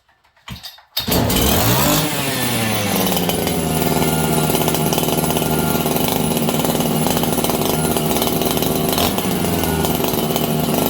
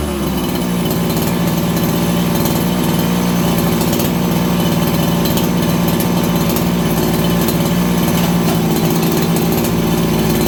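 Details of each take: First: Farmertec 288XP kit chainsaw just repaired after a failed ignition (new spark plug), cold at about 5°C: fires and settles into a high, thin, racing buzz that hunts slightly. Running lean. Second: Farmertec 288XP kit chainsaw after an ignition repair (sheared timing key, spun flywheel), low jet richened slightly from lean: steady high-pitched two-stroke idle that holds even without dying or surging. Normal idle.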